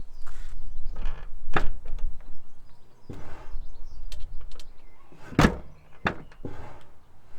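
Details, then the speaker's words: Mazda MX-5 Miata NA with bent front wing: door thunks open and shut several times with a short rubbing scrape on the swing as the fender catches the door edge; door scraping on fender. "can you hear that scraping when I open the door uh yeah that's not good is it let's fix that"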